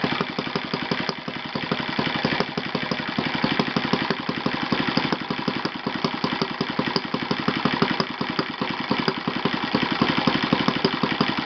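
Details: Yamada (Futaba) YS-F120 four-stroke 120-size model engine on test stand after total rebuild (combustion chamber buildup, piston and ring problems), Yamada No.4 glow plug: crisp even rapid firing beat at steady pace, no misses or rattles; normal running.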